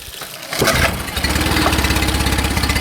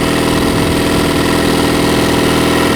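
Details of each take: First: Mercury 9.9 4-stroke outboard after tightening a loose fuel pump screw (carburetors fine): started with no choke, two primer bulb pumps, one pull; catches at once into a steady, even idle with no stumbling or cutting out. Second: Mercury 9.9 four-stroke outboard that bogged and cut out after a long run: on choke, a busy, fast, steady beat running only on carburetor bowl fuel. The fuel pump isn't delivering, no fuel from the line, traced to a loose fuel pump screw.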